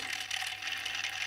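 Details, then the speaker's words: Tamiya Display Turntable (black), battery-powered, run at high speed without the tray: fast, dry, light rattle as the tiny plastic gear train chatters while spinning quickly. "now without the tray on let's see what happens at high speed it's rattles"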